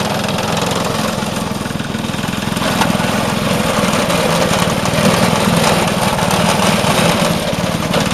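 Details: Vintage Craftsman 18" snowblower, rebuilt 3.5 hp Briggs single-cylinder, after carb fine-tuning: steady, even putter at constant speed, no misses or surging; running cleanly.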